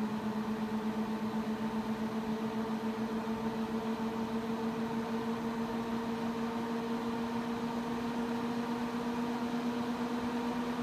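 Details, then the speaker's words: Mac Pro 1,1/2,1 with 48GB of 8GB DIMMs, benchmark started from idle: loud steady fan whine creeping higher in pitch, fans about double usual speed and heading to maximum; temperatures still a few degrees cooler. "the fans are starting to ramp up some they're going about double the speed they're usually going we're ramping up more they're still rampant and the temperatures are still a few degrees cooler"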